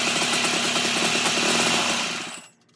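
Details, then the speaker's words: 1987 Toro Pro Line walk-behind mower, small single-cylinder engine: buzzing hard with an uneven, hunting beat, then dropping away fast. It seems to be firing back through the intake and carb while the carb is adjusted; a valve adjustment is possibly needed. "it looks like it's firing back through the uh intake through the carb so that might be some valve adjustment that might need to happen"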